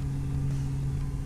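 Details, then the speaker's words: Air-cooled VW Type 1 1900cc with dual 40 HPMX carbs, after resetting heavily advanced timing and refitting the idle jet (the original was totally plugged); steady even low flat-four rumble, no misfire or stumble; normal idle. "we've put the idle jet back in already at this point and we're about to fire it up and see how it runs"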